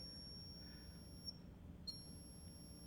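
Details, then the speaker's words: Air Venturi Avenger .22 PCP air rifle being filled to 300 bar (4,251 psi) from a tank: thin steady high-pitched whistle, briefly shifting pitch, from air moving past the front check valve; normal while filling. "That whistling you hear is normal. It's the air moving past the check valve up here in the front."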